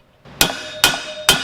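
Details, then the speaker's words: Honda XL185s motorcycle bottom-end rebuild: three sharp hammer blows on new crankcase bearings, each leaving a clear ringing ping as the pitch changes, showing the bearing has bottomed out fully seated in its bore. "boom you hit that ping same with this other one boom it's in"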